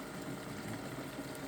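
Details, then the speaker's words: Low-pressure push-type fuel pump on an FCR-carbureted engine being run dry to drain the fuel system: soft bubbling and gurgling over a faint pump hum with uneven spits as fuel runs out; the pump needs tank head pressure at its inlet and doesn't like to pull fuel. "These are a push. You can hear it gurgling there. These don't like to pull fuel, they like to push, so you need the head pressure from the fuel tank above the inlet of the fuel pump."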